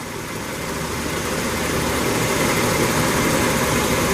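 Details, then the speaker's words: 1987 Ford F150 inline-6 EFI idling smoothly after replacing the EGR pressure feedback sensor (DPFE), which set code 32 and caused rough idle and stalling; steady, even idle hum without stumbles or misses. Owner thinks timing may need slight adjustment. "This is really fantastic. It's running quite smooth."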